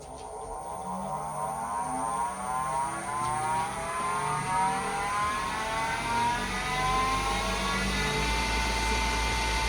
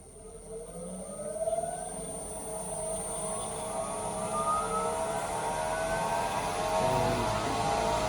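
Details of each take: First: New Grizzly G0766 wood lathe, powered up after assembly, spindle run up to top speed about 3,330 rpm (rated 3,200): steady whir with rising whines; owner thinks it sounds like a bad bearing, unconfirmed, plans to call Grizzly. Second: Grizzly G0766 wood lathe, low speed range (100–1200), first test after assembly: motor whine climbs smoothly and steadily as speed is raised from 60 to about 1200 rpm, reading 1210–1220; even, clean run, normal.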